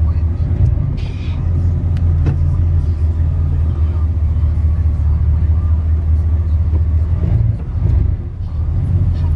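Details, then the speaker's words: Chevy Caprice box with a 305 5.0L V8 and dual exhaust, idling outside after new spark plugs and wires fixed a sluggish pedal: deep, steady, even burble with no misfires or ticks, a smooth healthy idle. "if you ask me it's running nice and smooth now oh yeah"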